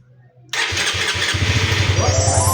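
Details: Honda CBR150R version 2 after replacing a rusted, stuck, dead fuel pump motor and renewing fuel filter, air filter and stale gasoline: quiet, then catches at once on the first press and settles into an even, steady idle. Healthy start.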